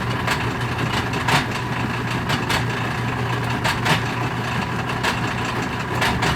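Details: Whirlpool direct drive washer after owner disassembled and cleaned drain system and reassembled: steady motor hum with irregular sharp pops and clacks about once a second; agitator spins but won't drain, grinding and popping, cause unclear.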